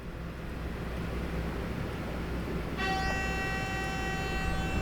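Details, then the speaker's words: Travel trailer electric brakes checked after failing on a mountain descent, with the brake controller squeezed while listening at the wheel: a steady high hum starts when applied, so this side's magnets engage normally; the other side is suspected weak. "The brakes are, I mean, they're humming. So at least this side seems like it's humming really loud."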